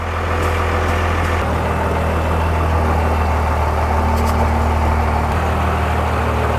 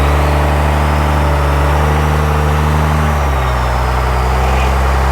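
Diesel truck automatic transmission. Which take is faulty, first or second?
second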